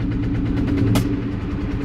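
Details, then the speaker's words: 2000 Ford Mustang GT V8 with a loud knock after a few night runs, no warning; steady low rumble with a fast, regular tapping knock, seeming to come from the left side and worse when revved; cause unknown. "all right that loud ass noise and it seems like it's coming from the left side we ended I'm not sure not really sure what it might be but it does not sound good and if I rev up the engine it sounds even worse"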